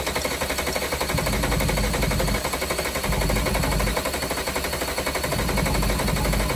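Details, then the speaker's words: VW Jetta Mk3 VR6 12V, first start after engine swap, sat a long time, WD40 in cylinders: fast uneven idle with lumpy beat swelling and dipping about every second; slight misfire, owner suspects one injector and old fuel. "so it does have like a little uh M misfire in there but I think it's one injector it's it's too old Fuel and it's not it's been sitting for a while"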